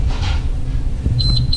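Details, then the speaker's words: Hoshizaki ice machine at power-on: steady low machine hum, then a high beep pulsing repeatedly (three beeps); alarm, it won't make ice until the board is reset. "And you first turn on the unit? You'll hear this little three beeps a Car you can A that okay."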